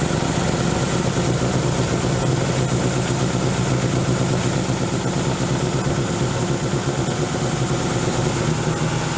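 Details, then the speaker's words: Dodge Neon ACR running loud and uneven with a lumpy, unsteady idle beat; MAP sensor and knock sensor found unplugged, still a slight miss afterward. "I found map sensor wasn't plugged in and my mortal enemy the [ __ ] KNX sensor was also not plugged in"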